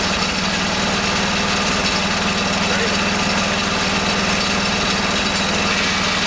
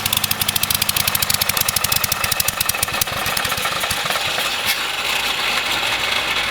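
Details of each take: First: Kohler K301 12 hp single-cylinder engine after rebuild with homemade gaskets, fitted to a garden tractor, fuel pump suspected bad: steady thump with even firing and no misses at constant speed; normal running. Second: Kohler K301 12 hp single-cylinder engine, freshly reassembled, on its first run: fast sharp firing beat blurring into a rougher, uneven run while leaking fuel and possibly oil; running on choke, which needs fixing.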